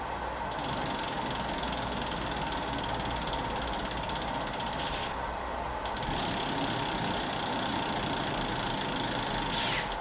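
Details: Specialized Ruby bicycle with a newly fitted freehub, spun after the axle nut went on and before the bearing play was adjusted: fast, even, crisp pawl clicking with no grinding. The freehub sounds okay.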